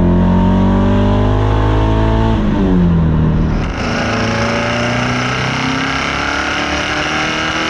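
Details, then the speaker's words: Ferrari 308 V8 on the road with a newly built loud exhaust: a loud rasp under load with a stumbling, uneven beat as revs climb and drop. It is not firing on all eight cylinders, an engine misfire. "308s typically are not very loud and this one as you can hear it's not firing on all eight either"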